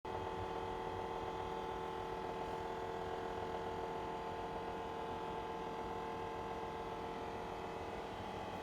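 A loud, steady droning hum with a buzzy midrange tone runs unbroken from a refrigerator's motor. Cause suspected, not confirmed.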